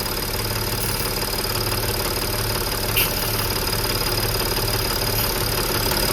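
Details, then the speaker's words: Audi A8 D5 diesel at idle with a swapped-in replacement intake manifold that did not change the noise. Soft rhythmic pulsing of three to four beats a second over steady clatter, felt at the pump feed line; faulty high-pressure fuel pump. "Я уже дошёл до того, что я берусь за подающую трубку на ТНВД. И вот звук пульсирующий именно с ТНВД. Как вот пульсирует ТНВД."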